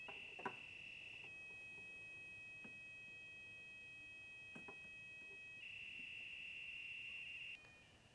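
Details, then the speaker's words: 2011 Scion xB, repaired and re-pressurized line after recurring check engine light: leak detector holds a steady high tone around the line with no rising alarm chirps; no leak detected, line sealed. "as we can see this xp is fixed"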